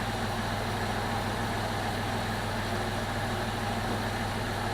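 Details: 2002 Jeep Liberty 3.7 engine just swapped in, first run: steady, even low rumble at idle with no misses, knocks or ticks; idles smoothly, though smoky and check engine light on (owner suspects hard start or coil pack).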